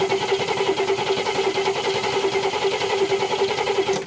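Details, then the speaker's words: 1969 Cadillac Eldorado V8 with 21,000 original miles, sat about 20 years: starter churns at an even slow beat with a new fuel filter and the factory mechanical pump, never catching; the pump is not delivering fuel. "now it's not doing nothing uh try it one more time no okay you know it's not working"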